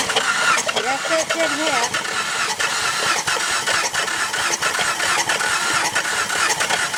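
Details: 2008 Honda Pilot bought as a non-runner, borescope showing a cylinder wet with fluid; suspected head gasket: uneven starter cranking around ninety turns a minute that never catches, slightly labouring; engine cranks but won't start.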